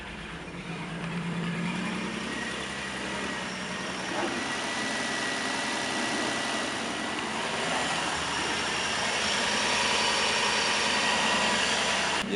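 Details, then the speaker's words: 2007 Nissan Murano, sold as having a non-working motor, cranked after fitting a new battery: it catches and settles into an even, steady idle with no misses or knocks, running normally. "know the car just turned on yo we got it on"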